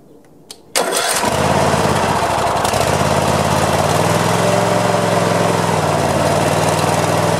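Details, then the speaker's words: Craftsman zero-turn mower, test run: brief crank, engine catches at once and settles into a steady even idle with no misses or knocks; normal start and idle. "we'll start that fine"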